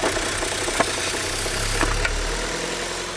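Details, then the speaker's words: 2006 Vauxhall Vectra-C, Z18XER engine, with intermittent rev drops, hesitation and a sucking noise: removing the oil filler cap gives a strong suction hiss and very rough running; the owner suspects a failed PCV valve causing a crankcase vacuum leak. "And if you can hear the engine runs really badly due to you can hear me put that back on. really difficult to get this off. Hear major suction coming through."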